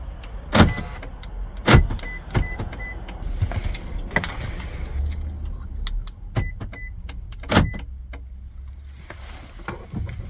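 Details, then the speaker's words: Aftermarket key fob for a 2010-2018 Toyota 4Runner, tested right after programming; crisp lock clunks and short chirps answer each button press, showing the keyless entry locks and unlocks normally. "here we can see it's working and it's all good to go"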